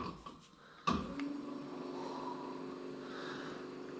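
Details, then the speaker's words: Trolling motor on a restored 1972 Glasspar (Larson) boat, 12 V setting, low speed, about 1454–1460 rpm: a click at switch-on, then a quiet, steady low hum holding one pitch; running smoothly. "as you can see you can hear the difference for sure and i'll show you the rpm difference it has three speeds on each setting"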